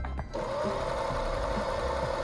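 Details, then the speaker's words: Huskylock 1000L serger after cleaning with WD40 and oiling: steady smooth whirr with no squeak, previously squeaked like a hinge; normal running. "Ooh. Went from sounding like a squeaky hinge to listen to that now."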